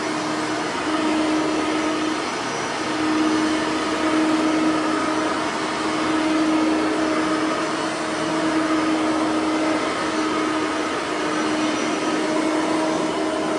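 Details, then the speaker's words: Bissell 3510-9 (9 amp) upright vacuum, bearings freshly greased, set to low on lower carpet; steady high whine with slow laboring waver as the head drags, motor sounding a little strained on the low setting. "even though I don't think this one is accurate with the uh carpet we still got to put it on low yeah that's gonna sound a little strained"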